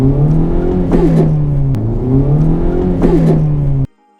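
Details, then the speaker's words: 2017 Honda Civic Type R (FK8): revs climb, then short harsh grinding rasp at each 1st-to-2nd upshift, occurring randomly at fast or slow speeds; gear grind, dealer attempting a fix. "first one is the first to second gear grind now this happens randomly when it's going fast when you're going slow"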